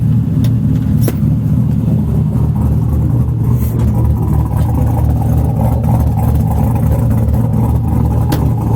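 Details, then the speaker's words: 4.8 LS V8 swapped into a Miata, after coolant bleeding with temperature settling from 194: deep, steady, even V8 rumble with no knocks, ticks or misses; normal smooth running. "It sounds good."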